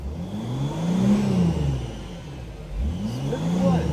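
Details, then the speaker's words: 2007 Mercedes Sprinter 3.0L diesel, test drive after P0299 underboost fixed and boost pressure restored: clean pull through two rising revs, steady climbing drone without whistle, flutter or hesitation; accelerates normally. "this is going to be real fun now because we don't have no problem with it accelerating because boost pressures fixed now now we're giving Sprinter air to breathe"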